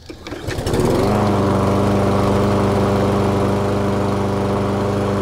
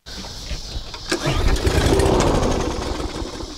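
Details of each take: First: Restored push mower: starts on the pull and settles into a smooth, even, steady drone with no misses or knocks until shut off; runs healthy. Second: Yard Force EX675 163cc push mower, a little gas poured into the carb: after the pull it catches, runs about two seconds then dies, running on prime only; carb needs cleaning or replacement.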